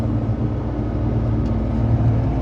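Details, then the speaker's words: Suzuki Jimny JA22 after rear wheel bearing replacement, highway speed: steady low tire roar with no rhythmic growl or hum rising with speed. Sounds like tire noise; normal road noise. "Sound normal to you? I don't hear any. This sounds like tire noise."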